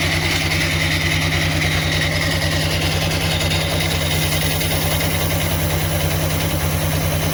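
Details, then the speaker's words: Honda scooter CVT after replacing rollers and sliding pieces, idling and lightly revved: steady, smooth low thrum, no rattle or scraping; earlier noise reduced, transmission sounds healthy. "sekarang udah diganti roller sama slidingnya udah diganjel sekarang alhamdulillah Agak mendingan suara panel ya."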